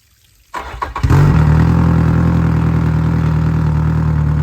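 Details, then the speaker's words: 2014 Yamaha F115 outboard, 1024 hours, started after a timing belt replacement, before the timing cover goes on: starts on a short crank and settles into a steady, even low hum with no knocks or misses; normal running. "Après avoir démarré le moteur et vérifié que tout est OK, installez le carter de distribution."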